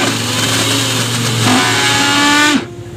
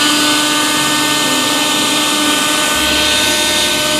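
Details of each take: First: Mixer grinder running with a loud, harsh high-speed motor roar and rough rattling edge, before repair; coupling removed to trace the cause to a worn shaft bushing (sleeve bearing). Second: Mixer grinder after repair, bush (bushing) replaced because the worn bush made it run very loud: steady high, even motor whine with no rattle or grinding, quiet like new; normal running.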